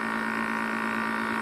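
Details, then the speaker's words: Air conditioner test unit with a normally very quiet compressor: a steady loud electrical hum with no fan whoosh. The condenser fan is stopped, so the coil's hot air isn't vented and the compressor overheats toward thermal trip. "e aí um barulhão dele como é que tá o que é que ele vai desarmar e superaquecendo comédia da super aquecida e não tá sendo ventilação para soltar esse ar quente da colmeia"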